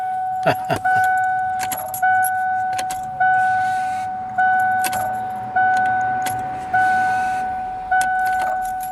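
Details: Truck with new, never-installed high-pressure fuel pump: steady high squeal pulsing about once a second as the pump is starved of fuel; pressure measured at best 15 psi dropping to 0, no fuel reaching it from either tank.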